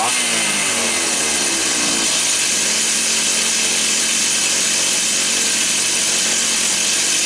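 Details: Stihl 028 AV Super with a new piston, said to have low compression, carb retuned from slightly rich high speed and lean low speed: crisp, steady high-pitched scream that holds clean without stumbling, running healthy.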